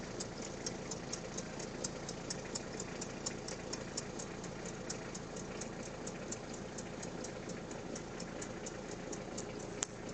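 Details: Peugeot 306 at idle: light, sharp ticks at about 85 a minute, evenly spaced over a quiet idle; abnormal engine tick, diagnosis still in progress, source not confirmed.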